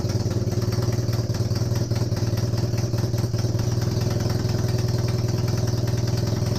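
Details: Honda CB250N Superdream twin, rebuilt from boxes of bits, with new spark plugs, warm restart with no starting gas after choke was reduced. An even, steady low-idle putter with evenly spaced beats and no knocks or misfires. Normal warm idle, with an oil leak at the engine front.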